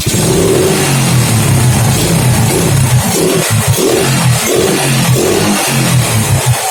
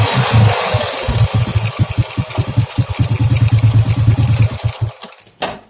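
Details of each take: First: Honda Grand motorcycle, black fouled plug, after replacing the pulser: starts easily now but revs rise sluggishly and exhaust stutters unevenly on return, lagging throttle; faulty CDI suspected. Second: Old Honda Grand after swapping out the leaking spark plug cap and refitting the bike's original CDI: single-cylinder thumping at roughly three beats a second with a few throttle blips, then shut off; engine running normally.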